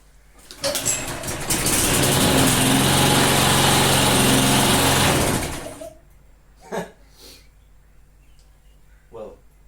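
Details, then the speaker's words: Neighbor's lawn mower: pull start without extra priming catches right away, quick even firing beat holds about four seconds then shuts off cleanly; normal engine start. "I just thought for a second there that that it wasn't working like it should but it totally work it is totally working like it should yeah it looks like it's running"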